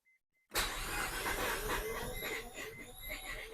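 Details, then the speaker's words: Barn-find Mazda RX-7 FC rotary cranked after sitting over 10 years on very old fuel; starter cranking with uneven thumps as it tries to catch, about two to three beats a second; hard start, likely the stale fuel. "Oh, we're close. It's thumping. We're real close."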